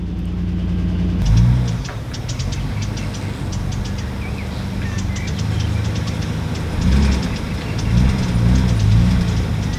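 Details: 1993 Nissan R32 Skyline GTR V-Spec, imported 2016 and then stored: over a low, steady idle, a light, fairly quick ticking from the cylinder head, roughly four a second.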